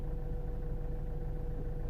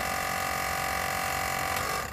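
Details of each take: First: 2008 Citroen C4 Picasso diesel, rear air suspension sitting very low, codes C1621, C1196, C118C. The compressor hums low and steady but the ride height doesn't change; owner suspects a leak, compressor or left/right solenoids, later traced to a faulty air spring: leaking air spring. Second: 2008 Citroen C4 Picasso diesel rear air suspension, compressor during pressurising test: steady buzzing hum, fast even pulse about four per second for two seconds, then cuts off cleanly; normal compressor operation.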